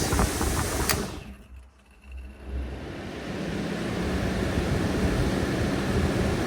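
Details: Maxx Fan roof vent after the beep fix bypassing the circuit board with a rheostat switch: after a brief dip, a steady even whir and hum settle in with no beeping or rattle. Normal fan running.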